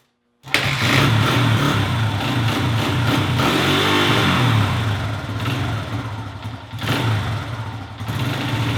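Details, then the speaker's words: Honda XR100 with dirty carburetor, warm indoors: fires and idles, but each throttle blip bogs and stumbles instead of climbing cleanly; carburetor needs cleaning, air filter not yet checked. "well as you guys saw there I actually got it to fire up this time probably cuz it's so warm in here but if you guys were listening you could tell every time that I gave it throttle that it would bog out so that's a definite sign that the carburetor needs a good cleaning"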